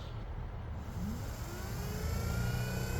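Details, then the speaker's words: 2017-2018 Ram 2500 ABS hydraulic control unit pump motor bench-tested off the truck on a benchtop tester at 12 volts, about 3 amps: the small electric motor spins up and holds a steady, even hum with a faint rising whine, running normally. "so it runs. And we can turn it off. All right. So this one will work."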